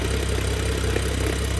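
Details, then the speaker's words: BMW F10 with N55 engine, just fitted with a lightweight single mass flywheel and stiffer clutch, heard from under the car at about 700 rpm in neutral, not fully warm: light, quick intermittent rattle; typical single mass flywheel chatter. "so you can hear the rattle to be honest it's rather intermittent and from what i understand it's only when it's in neutral"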